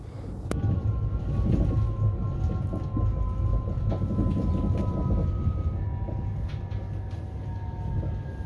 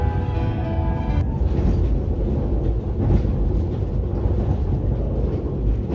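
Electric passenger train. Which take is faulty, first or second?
first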